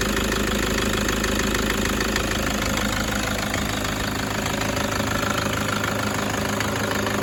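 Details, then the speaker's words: Toyota 1KD-FTV D4D diesel, injectors replaced about 5 years ago with low kilometres since, possible fuel contamination; steady idle in the engine bay with a sharp, regular knock about twice a second over the clatter, sounding like one injector, matching injector feedback values. "this is the first one I've ever seen that I'm actually agreeing it's got a bit of a knocky weird knocky noise that does sound to me like one injector which coincides with the feedback values hear that weird clattery knock"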